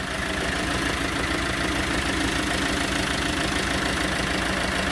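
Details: Iveco Daily former fridge van being converted to a camper, first start after about 10 months unused with new battery and earth leads: steady, even diesel idle with consistent clatter, no misses or knocks; possible exhaust leak mentioned, engine running fine.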